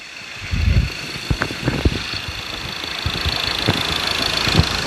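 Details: 2.2 diesel after injector repair without coil replacement, compensation values about 0.9–1.1 on all cylinders, no relearn needed; settles into even idle with light clatter, no uneven knock; normal diesel idle.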